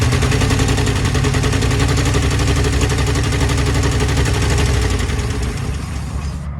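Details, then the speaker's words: 1966 Ford Thunderbird 390 V8 idling after fuel pump and carburetor replacement: loud, uneven idle with sharp popping chuffs and a missing beat; owner thinks it's on 7 cylinders with a bad exhaust leak, though running way better. "All right, so I think we got 7 cylinders now and a bad exhaust leak. Yeah, that's not gonna be fun."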